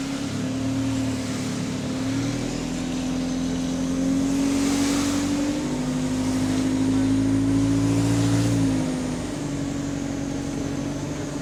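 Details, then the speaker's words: GAL SEN14 bus diesel on route 386: the air compressor hum for brakes and doors steps up, then the valve vents excess air with a psst and the hum falls quieter; a normal, repeating compressor unloading cycle. "Too much air is generated, then the valve releases, and then it does that air noise, that psst,"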